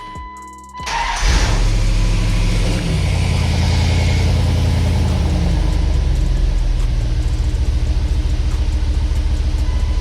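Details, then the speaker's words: Dodge Dakota R/T with a used replacement 5.9L Magnum V8 from a crashed Durango R/T, started in park: cranks, catches and settles to a smooth, steady idle with no skips; the oil pressure sender was still unplugged. "Like she didn't even skip a beat."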